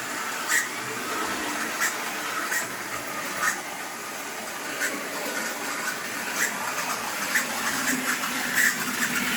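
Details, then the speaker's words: Vintage HO scale Grand Trunk locomotive breaking in on first run: thin high squeaks chirp about once a second over faint whirring; owner thinks it needs a little oil and clean wheels, not confirmed. "Well, let's let her break in just a bit. But she's got a little squeak. Needs a little bit of oil."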